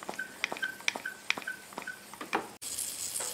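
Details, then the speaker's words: 2010 Subaru Forester losing coolant, temp light blinking on and off, under a cooling-system pressure test: irregular wet pops and gurgles as coolant bubbles out of the leaking radiator near the top tank, not the upper hose clamp. "oh boy i sure bubbling up i was keeping this pressure relief i was hoping it was the upper radiator hose clamp or something but now it's not looking good"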